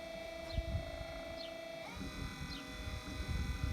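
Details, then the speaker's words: 1993 Chevy Lumina APV windshield wiper motor after resoldering the circuit board and repairing a broken board part: quiet steady whir on low that steps up in pitch on high, sweeping evenly; normal wiper operation after repair. "So I should be able to move it to low now and it should just spin slowly. So that's slow, and let's go to high."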